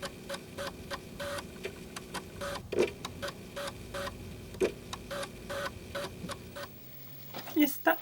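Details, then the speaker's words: Old Sony floppy drive, microphone right up close: crunchy irregular seek clicks and head stepping about three per second over faint motor hum; drive working normally, actually quiet in person. "but then just hear this Sony one which I had from way back I had this one and that rock tech one together um back in the day but this one gives a nice crunchy sound I really like it"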